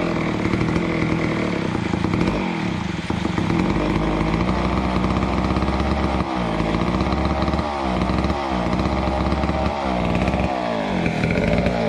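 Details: Neglected old McCulloch Super 250 two-stroke chainsaw revived: steady buzzing with brief throttle dips and blips, picking back up cleanly; normal running, purrs along well.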